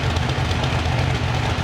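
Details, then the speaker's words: Freshly rebuilt Chevrolet SS TrailBlazer 6.0 LS2 with Trick Flow TFS cam, exhaust now connected, warming up after first start: deep steady lopey rumble, even pulse, no tapping or knocking; normal cold idle with cam lope. "we got a little warm up and see how the idol acts after after it warms up"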